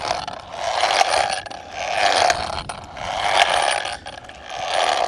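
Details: 1/7-scale RC NASCAR Craftsman truck after a half-throttle 75 mph pass, rolled by hand on all four wheels: a grinding, ratcheting whir swells and fades about once a second. It sounds clean with the front or rear lifted; owner unsure of the cause.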